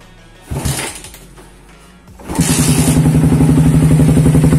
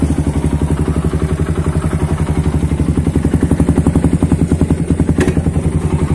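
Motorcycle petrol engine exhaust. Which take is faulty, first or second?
first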